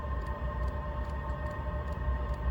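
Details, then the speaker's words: Diesel heater running after fuel line and dosing pump replacement, fitted with a new Ultra Quiet pump, fired up on its own on the third attempt after an A7 fault; steady fan hum with faint quiet pump ticks about twice a second: normal operation. "Oh my god. Well, oh my glory, I should say. That is so quiet. The Ultra Quiet Pump, they said."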